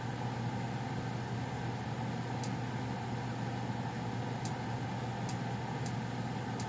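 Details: Goodman furnace running before shutdown: steady low hum, even airflow, a few faint ticks; owner notes popping when shutting off; normal running.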